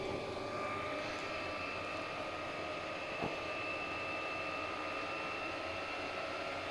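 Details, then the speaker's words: Chinese diesel heater that had an E-03 error, fixed by replacing the glow plug: steady even whoosh of the combustion fan with a constant whine, no surging or sputtering; normal running after repair. "So it started up and seems to be working properly now."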